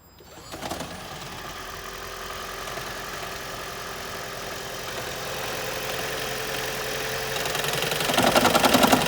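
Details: 2012 Toyota Prius, 174,583 miles, cold start with check engine light, code P0301: petrol engine fires up then loud regular knock about three to four raps a second before smoothing; cylinder 1 misfire, owner suspects fuel injectors, plugs thirty thousand miles old.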